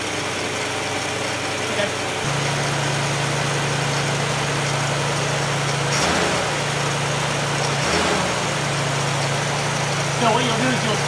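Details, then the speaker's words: Straight-six engine with an Autolite 1100 carburetor that has rough starts, seems to flood and may be leaking a little gas: a steady raised idle hum holds and never drops back, so the fast idle is not releasing; the carb may need replacing. "the idle drop back down there we go you see it's not letting it it's not letting it move"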